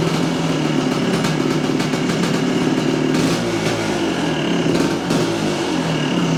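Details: 1978 Yamaha IT400 two-stroke, restarted after idle judged too low: steady even crackle, no stumbling or dying, idle holding fine; normal idle.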